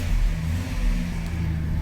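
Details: Old carbureted Ford F350 after replacing the chewed fuel line with rubber hose: steady, deep, even rumble with the idle sitting noticeably fast; the carburetor still needs a rebuild.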